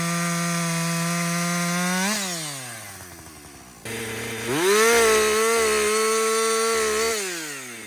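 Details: Husqvarna 562XP 60cc chainsaw, after a dealer reflash of its software for dying when hot and stumbling, bucking windfall: crisp wail drops as the chain bites, recovers cleanly and revs out again; even, normal under load.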